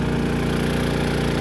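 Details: Harbor Freight Predator 3500 generator revving up to power a 15,000 BTU RV air conditioner: steady, even engine drone with a firm low hum, no misses or surges; pulling the air-conditioner load smoothly.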